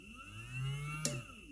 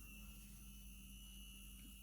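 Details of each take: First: Small DC motor on almost 12 V supply through switch and relay: faint steady low hum with soft whir; motor running normally. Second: Small DC motor in a variable-resistor circuit with a switch, on a source of almost 12 V, turning very slowly as resistance rises and the voltage left drops to about 0.7 V; quiet, low, steady hum with a faint thin tone.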